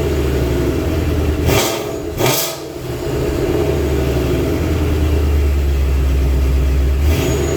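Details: 2019 Vortech-supercharged Mustang with MBRP X-pipe, resonator delete and long-tube headers: deep, even exhaust rumble swelling cleanly on two quick blips, settling to a steady idle with no rattles or leaks.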